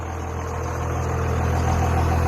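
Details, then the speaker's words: Diesel truck described as somewhat smoky, with a squeak noted elsewhere: deep steady rumble rises as revs build, with a faint climbing turbo whistle on top. Normal turbo spool. "I like how it sounds. It sounds pretty good. I like that. You can hear the little the spooling of the turbo."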